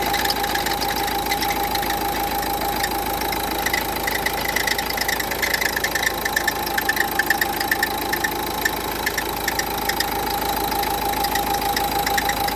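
Diesel idling with an uneven light rattle, two or three beats a second, over a faint steady hum: worn alternator pulley.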